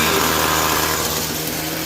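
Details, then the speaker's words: Discarded curbside Echo SRM-2320T string trimmer, just started and taken off choke: small two-stroke holds a fast, steady buzzing idle that never settles; idle speed too high, likely carburetor. "Okay, so it's running on choke. Take it off choke. Sounds like it's got a a high speed."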